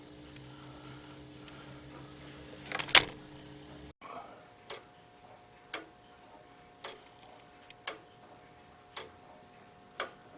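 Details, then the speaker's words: Early Morbier clock with a crown wheel (verge escapement), after the crown wheel teeth were topped and deburred: after some handling noise, crisp ticks about once a second, evenly spaced and matched in loudness; escapement beating in time. "And just by listening to it, you can hear that every, when it drops off one paddle and picks up the other, they're all the same."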